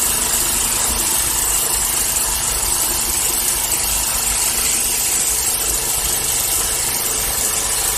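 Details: 1979 Parmi/Lazy Boy B 400H vintage push mower, single-cylinder, revived after years in storage: steady, even buzz, no misses, surging or knocks; runs healthy.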